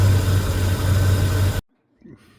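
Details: 1977 Mark Cooper (per owner) after fuel pump replacement, fuel pressure a solid 5 PSI, cold April day: steady, even low idle rumble with no clacking ticks before shutoff; the earlier clacking is gone, owner thinks it's fixed: normal idle.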